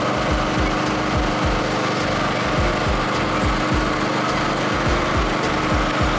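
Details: Second-hand Snapper Pro SW30 52-inch mower with a Kawasaki 651V twin, after a full tune-up service: steady, even speed with a smooth firing beat, no misfire, knock or surging; sounds healthy.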